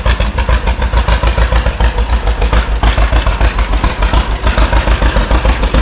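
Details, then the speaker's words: 1936 John Deere Model A two-cylinder, started with fresh gas after sitting three years: a slow loping putt of about three and a half beats a second, a little uneven. It runs but needs adjustment; cause not confirmed. "All right. It needs a little bit of gist but And I'm not very good at that part. But I'll adjust a little bit I don't know. That almost sounds good in a way but I'm not sure."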